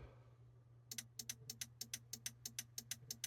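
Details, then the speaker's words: SIMRAD CX33 navigation computer after battery replacement, on a bench supply at 13 V with 1 A current limit: sharp ticking about three times a second over a low hum as it keeps hitting the current limit and restarting, wanting more current. "Same thing. It's going in the current limit. It's obviously wants more current"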